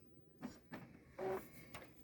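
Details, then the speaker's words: New Epson ET-2720 printer during first setup and initial ink tank fill: scattered short whirs and clicks from carriage and pump with quiet pauses; normal initial ink charging. "So right now you hear the computer moving around, making its noises and stuff."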